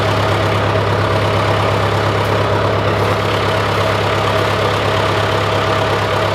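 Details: John Deere 410C backhoe diesel started in winter after battery terminal cleaning, warming up: deep steady even chugging idle, no misses or knocks; runs healthy.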